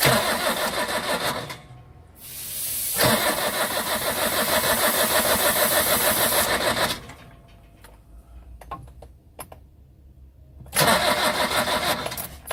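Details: Old truck sitting a long time, starting attempt on WD40/lighter fluid on a 40-plus degree day, smoke and burning plastic smell from wiring: long cranking bursts with an even rapid chug about three per second, never catches; crank no start.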